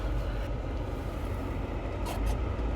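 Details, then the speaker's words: VW Polo bought from Copart auction, just started after checking oil and coolant, clutch good: very quiet, low even rumble with no knocks or misses, a healthy smooth idle. "Clutch is good. Starts good. It's a good start."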